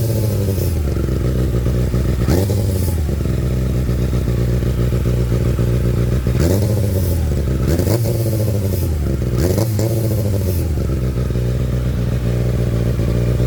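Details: Kawasaki ZX6R motorcycle revving up and down with rough scraping rasp over each throttle blip; grinding noise when turning throttle, cause not pinned down.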